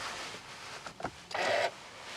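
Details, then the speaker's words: 2007 Toyota Camry XLE V6 at about 59,000 miles, engine off: pressing the button into accessory mode gives a brief whir under half a second from the steering column as the lock motor unlocks the wheel; normal steering lock release. "so first things first when you go and press the button to go into accessory mode you're going to hear a motor sound from the steering wheel which unlocks it right now it's locked as you"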